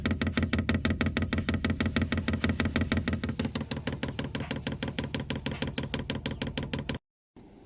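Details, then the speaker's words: Diesel heater newly installed in the back of a Mitsubishi L200 pickup, being primed via controller: crisp, even pump clicking about three times a second pulling fuel through, then going quiet; dosing pump priming normally. "Then press the top button, which goes to H on, and there, that's the pump clicking, and it's pulling the fuel through quite nicely through"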